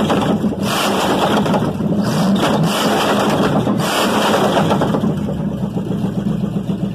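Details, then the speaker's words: Chevy 305 V8 on engine stand, first start in years; pulls strongly and evenly through a couple of revs, no knocking or misfire, runs smooth and clean; normal running. "that [ __ ] runs smooth run good ain't no doubt"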